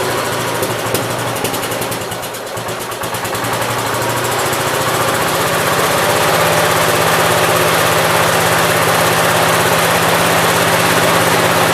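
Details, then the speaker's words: 1969 Gravely 432 after the carb float level, found extremely low, was corrected. The small single-cylinder engine has a crisp, even exhaust beat of about 200 per minute, settles into a steady hum and runs cleanly. "so now it actually runs decent I knew that had to be something dumb"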